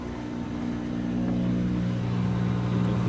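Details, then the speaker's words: GE front-load washer, model GFWH1200H0WW, which would not drain or spin, after drain pump replacement, on a fast/delicate cycle while draining and spinning: even, low steady pump hum with water rushing behind it, no rattles or grinding; the drain pump is working properly. "can hear the pump on. You can hear in the back the water flowing."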